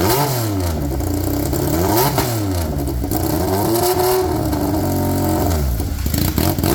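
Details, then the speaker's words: Polaris RZR XP with swapped Yamaha Nytro triple, straight-piped, restarted after clutch setup: loud raw rasping and blipping through repeated revs, never settling to steady idle; owner thinks idle speed needs setting. "let's try her again so I'm trying my I think we just got to set the idle a little bit all"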